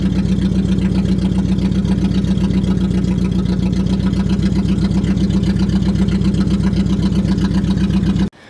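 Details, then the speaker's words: Budget Mercedes-Benz, refuelled to over half a tank, grounds checked: rough, lumpy idle loping about four times a second, missing on at least one cylinder; cause unknown, a new wire to the ECU plug is suggested. "yeah that ain't good do you like that sounded like four almost for a second but definitely not poor right now"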